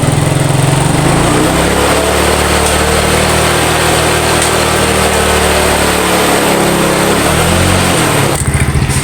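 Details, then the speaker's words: Yamaha Mio scooter after compression-loss repair and spark plug refitted: small single buzzes at a fairly steady fast idle with no misfire, brief blip near the end; normal running, some smoke afterward. "Oke Alhamdulillah motor sudah hidup kembali ya udah bisa hidup"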